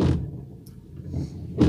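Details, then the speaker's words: Windshield wiper blade: rough juddering thumps at each sweep across the glass, a couple of passes in two seconds; the blade trembles and chatters loudly on the windshield. "daqui Nem tanto mas essa daqui faz bastante e E aí é bastante barulho"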